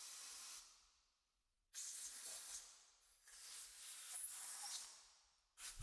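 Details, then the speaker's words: 1975 Yamaha TY250 trials bike carburetor pilot circuit blown with compressed air during cleaning: three long, even bursts of air hiss pass straight through without sputtering, so the pilot circuit is clear. "And that's our this is our pilot circuit here. And with compressed air you can hear that it's it's actually flowing nicely."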